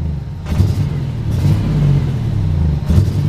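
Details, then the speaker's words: G-body car on second ECM attempt, after idling five minutes and smoking more, driven at full throttle: uneven, lumpy, stumbling low rumble, not firing on all cylinders; cause suspected, not confirmed. "it doesn't sound right that's Florida I got to the floor and definitely not hitting on all cylinders"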